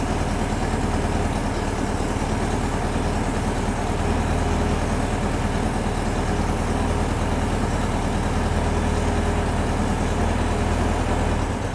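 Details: VW-based Porsche 356 Speedster kit air-cooled engine, test after remote oil filter over-pressurization repair. Oil light goes off, pressure builds to about 50 psi, no leaks. Even, throaty idle with a steady beat and no ticking, knocking or stumbles; healthy.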